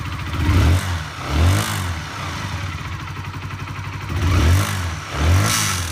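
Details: Honda CBR125R single-cylinder blipped twice, metallic engine rattle rising with revs; the garage stripped the engine and found a fractured gudgeon pin, possibly from over-revving, though the owner denies over-revving.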